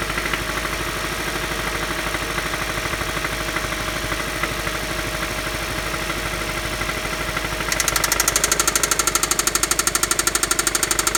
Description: This engine does have spin a rod bearing cylinder 1..